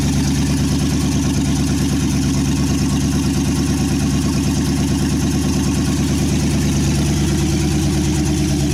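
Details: 1963 Chevy C10 with 355ci small-block V8 (350 bored .030 over), Turbo 350, reportedly low miles, second start after years sitting: loud, even chugging idle about three pulses a second through open exhaust, no misses or knocks; temp gauge not working, normal idle.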